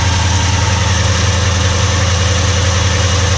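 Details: Holden Commodore V8 started after not moving for over a year, still on old fuel: idles with a fast, steady ticking clatter over the rumble from noisy hydraulic lifters on the camshaft.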